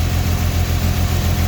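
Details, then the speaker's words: 2008 Dodge Charger 2.7L V6 at idle with code P0302: deep lumpy idle with a rhythmic stumble from cylinder 2 misfiring; unplugging its ignition coil changes nothing, confirming the cylinder is dead; plug or coil suspected, usually the coil. "So we got a P0302 cylinder 2 misfire. This is cylinder 2 right here."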